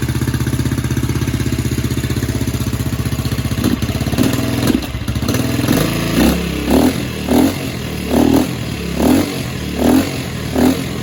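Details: 2007 Baja Dirt Runner 125cc four-stroke Chinese dirt bike after repair: single idles steady and even, picks up cleanly on short blips about once a second; has compression, no knock or rattle now, owner hopes top end is fine.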